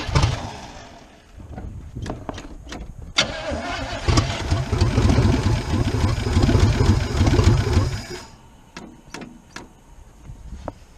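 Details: 1977 Chevrolet K20 4x4 V8, last driven 2001, cold: cranks, catches and runs a few seconds with an uneven loping miss before dying; spark plugs first suspected, testing traced it to clogged carburetor jets on half the cylinders.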